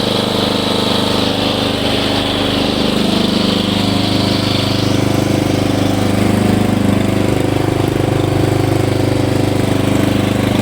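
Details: Hayter Heritage ride-on tractor mower, petrol, revived after eight years stored in a shed, oil checked, spark plug looks new, run outside: steady single-cylinder chug about 3.5 beats per second, smooth and even; healthy normal running.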